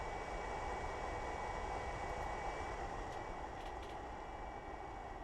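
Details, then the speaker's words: Vangoa HA-50 all-in-one integrated amplifier idling in normal mode with no signal, microphone set down by the cooling fan as it switches on: steady airy rush with faint constant hum, the fan very noisy; later run at about 34 W into two 8-ohm loads. "Now, one thing I should mention is this fan is very, very noisy. And what I'm going to do now is go ahead and turn it on, and we'll see how much louder it gets."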